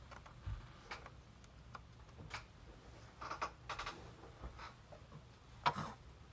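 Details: MacBook Pro (15-inch, 2017): scattered sharp pops and crackles as the lid opens in a quiet room, caught only by external mics, not system audio. The display hinge pops, and Apple fixed it by replacing the display.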